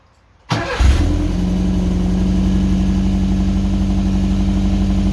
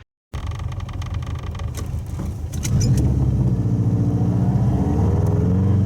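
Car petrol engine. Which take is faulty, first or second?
second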